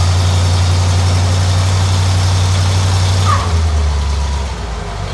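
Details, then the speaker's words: Rebuilt flathead V8 with adjustable lifters, stock cam and crank, standard bore honed, started after a couple of weeks sitting: fires right up to an even, steady low rumble with no knocks or misses; normal idle. "probably hadn't started in a couple of weeks fired right up my building with adjustable lifters"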